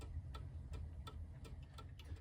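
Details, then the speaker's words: Antique German alarm clock (c. 1898–1902) movement, pendulum spring and pendulum reattached, out of case: crisp even ticks about three per second with faint hum, running five minutes; normal ticking. "it's actually been running now for about 5 minutes and I think it's going to work so I'm really quite pleased with how this is coming out"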